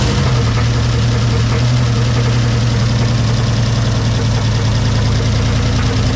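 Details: Turbo street truck V8 build, first start before turbo fitted: deep steady idle with faint quick tick about two or three a second on top; thought top end, unconfirmed; water then from exhaust, blamed on gasket paper, oil filter to be checked.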